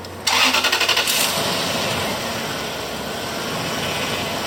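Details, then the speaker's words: 2006 Toyota 4Runner after power steering pump replacement, fluid conditioner added; short crank, smooth even idle, turning the wheel brings no pump whine, quiet and healthy. "Beautiful, nice and quiet. Turn the steering wheel, can hardly hear a thing."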